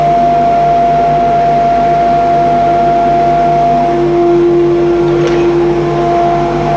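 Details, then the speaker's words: Modified old dust extraction unit in a grinding room, now ducted to every belt grinder through two gated pipes: loud, even blower roar with a steady mid-pitched hum, no knocks or rubbing, and good suction; running normally. "it's not too noisy I'll turn it on now so you can hear it and um yeah the suctions pretty good"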